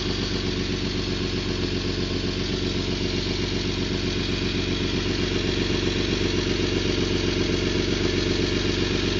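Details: 1991 Toyota Land Cruiser FJ80, 3F-E 4.0L inline-six, 229,000 miles, idling with a loud sharp rhythmic puffing tick from an exhaust leak around the leftmost catalytic converter and O2 sensor.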